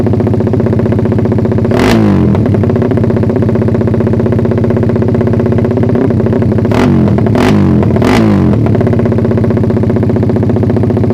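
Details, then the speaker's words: Suzuki Satria FU single after ignition timing was advanced slightly via the pulser: steady idle with sharp throttle blips that flatten near the top, holding back at high revs. Owner suspects ignition or carb setting. "Emang pengapiannya yang kurang ngerti ini masih agak nahan sih atasnya"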